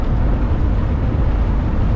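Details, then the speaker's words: Quiet cab at 65 mph in a 1987 Coachmen Classic Class A motorhome with a 454 big-block Chevy after fan and fan clutch replacement: steady low road and engine rumble with only wind and faint rattles, no fan roar. "Sure, there's still other noises. There's wind noise and other rattles and bangs, but it's so much quieter in here. It's 65 miles an hour."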